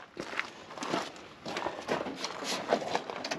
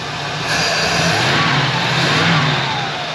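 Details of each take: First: 1978 Pontiac Formula Firebird off the road for 21 years, first start attempt without an alternator: scattered clicking, then the engine catches into a loud, rough, uneven run with the carburetor choke frozen. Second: 1978 Pontiac Formula Firebird, first run after 21 years off the road, warming up: engine revs up and settles back cleanly with a smooth, even hum and no loud vacuum sound on throttle; normal revving.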